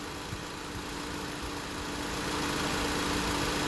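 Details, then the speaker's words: 2016 Honda Civic idling during an R-1234yf refrigerant recharge: a click as the condenser fans switch on with an even low hum, then the AC compressor clutch engages; normal AC condenser fans running. "So you hear that? It clicked on. The condenser fans are on."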